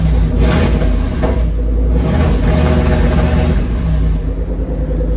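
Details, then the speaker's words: Toyota 3UZ V8 swapped into a Nissan 240SX, no wideband fitted: deep rumble that stumbles and surges when revved; fueling suspected off, smells really rich, unconfirmed. "um it's also not running the greatest uh like if you rev"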